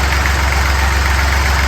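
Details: Fordson Dexta small diesel tractor being restored, steady even low diesel rumble at idle with no knocks or stumbles; the engine idles smoothly and sounds healthy.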